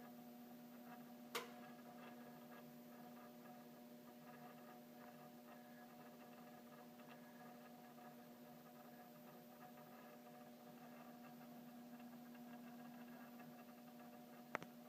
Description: Apparently, the 'front' pin/striker/hammer in this downstairs chime is really vibrating and causing the humming/buzzing sound.